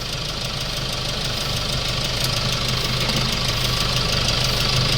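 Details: Hyundai Starex D4CB diesel with a replacement engine fitted for blow-by, after about 30 minutes running: steady, even idle clatter holding one speed, no misses or heavy knock, no smoke or oil spray from the breather; normal idle.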